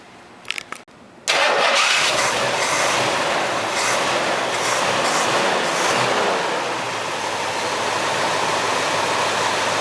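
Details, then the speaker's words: 1972 Ford Mustang 429 CJ V8 with a mild cam, still clearing carbon after years sitting, recorded on a small camera mic: a brief crank, then it fires right away and settles into a steady, smooth idle with no misses or knocks. "you know, she sounds really good. She idles really nice. Not like some of those really low-B cams. It's really pretty mild."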